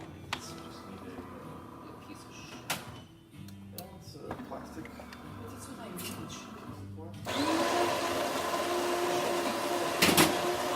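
Quiet start, then a strong steady grind and pump hum with a held mid tone, even and free of knocks or rattles; healthy running.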